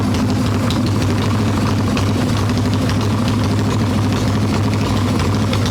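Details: Harley-Davidson Evo Softail, warm engine without choke, carb loose with choke plate off, mixture screw seated: lumpy, uneven low idle that stumbles and hunts; owner suspects intake air leak, later found loose intake bolts, cracked vacuum cap, faulty idle speed screw.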